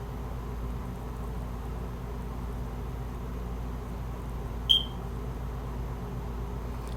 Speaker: you can probably hear my smoke alarm beeping up there that uh need a new battery in it